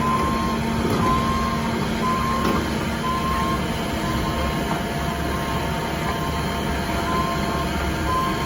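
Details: Cat 310 excavator: slow beep about once a second, likely the reverse/backup alarm, over a rumbling diesel with faint metallic clatter; weird noise, cause not confirmed.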